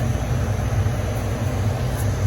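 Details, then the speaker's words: Masterbilt two-door cake display freezer, rooftop condensing unit, no-cooling call with power confirmed on: steady airy condenser fan rush with low hum, no compressor thump; fans run but compressor isn't starting. "but I don't hear the compressor. So I think we got fans, no compressor."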